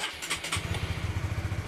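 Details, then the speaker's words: Honda CB150R starting after fitting a capacitive touch-sensor anti-theft switch module: brief crank, then the single settles into a quick, even putt-putt idle. Normal start. "Sekarang kita hidupkan. Oke, motor nyala dengan sempurna, dan jika ini ditekan kembali 1 kali, maka motor bisa mati secara mendadak ya."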